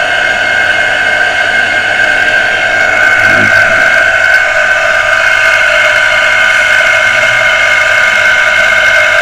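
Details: Water pressure pump motor that had only hummed and not started, heavily jammed and beginning to free up after servicing, run on socket; constant loud high whine with rough hum underneath that never settles; stiff, dragging motor bearing.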